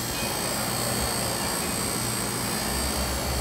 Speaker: but for you new guys listen you'll hear that wine in the compressor and I'll let you hear the different sounds that compressor is laboring